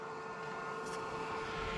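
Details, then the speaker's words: Polaris RZR Pro XP, S&B particle separator blower fan tested with key on one click after install: steady, even mid-tone whir with no rubbing, ticking or wobble, air blowing gently from the port; fan spinning normally. "All right, so we went ahead and put the key in and clicked it on one click, and you can hear the fan."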